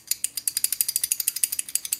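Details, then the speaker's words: DLE 55 RC gasoline engine, old crankshaft and connecting rod removed during rebuild: quick, light metallic clicks about nine a second as the loose rod knocks on its worn bearing; it rattled when running, and the new part has barely any play. "This was um evident when uh when the engine was being flipped to be turned on and after it was on you could hear some rattling"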